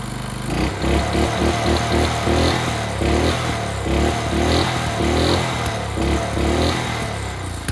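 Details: Early-to-mid-2000s Craftsman brush mower, sat 3 years, carburetor cleaned, oil not yet changed: single-cylinder running steady with an even, rapid beat and no misses; runs healthy.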